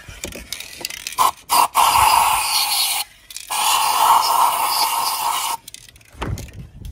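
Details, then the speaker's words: Audi A3 auction car: dry scraping creak in one-to-two-second bursts when turning the steering, from the front strut top mount bearings; after spraying them with grease the creak was cured. "that seems to have clear cured the noise and the it was almost like just a creaking noise as you turning the steering"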